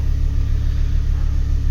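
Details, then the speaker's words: 2008 Ford Focus ST 2.5 Volvo five-cylinder, after a P0238 no-boost fault repair: a deep, even thrum with steady pulses and no knocks, misses or ticks. The engine is working fine now. "well apart from the camera doesn't focus you can see that's working all fine there now so I'm pretty happy with that"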